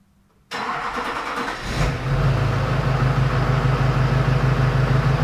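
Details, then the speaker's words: Replacement Duramax LMM diesel just installed, fresh oil, filter and coolant, fuel system primed: catches after a brief crank and settles into a steady, even idle with smooth low thrum, no knock or misfire; running good. "she's running good"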